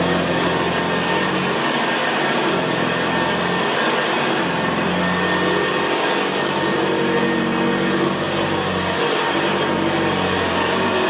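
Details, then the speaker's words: 1975 Hoover Senior Ranger U4002 vintage upright vacuum cleaner on carpet: steady, very quiet motor hum with the gravelly brushroll rumble typical of the Ranger; normal healthy running. "well isn't that absolutely beautiful machine to use it's just very very quiet and in very very growl very growling that's why I always said about the Ranger they always had a very very gravely brushroll on th"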